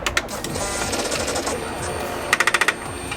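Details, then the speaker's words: Suzuki GSX-R1000 K1/K2, only on switching ignition on: SET exhaust valve servo motor, cable-linked to the valve, gives a short burst of about six rapid woodpecker-like taps trying to turn a seized exhaust butterfly valve. "When you turn on the ignition you can hear it, almost like a woodpecker sound of it trying to turn it, but just listen out for it. You can only hear it when you turn the ignition on."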